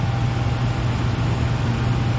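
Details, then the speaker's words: Furnace after replacing the transformer, control board, blower motor and capacitor, still needing a filter: a steady low rumble and hum at an even level throughout, no cycling off or surging; the burner and blower are running normally. "Everything's running great."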